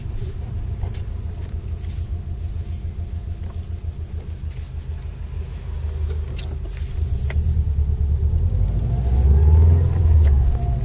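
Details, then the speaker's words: Subaru Impreza WRX, 5-speed gearbox, driving in the dark after centre diff bearings replaced and shafts shimmed: smooth even rumble rising with road speed, no whine or growl; normal drivetrain. "Complete silence. Bit of a pain in the neck to shim the shafts, but when you get there it's alright."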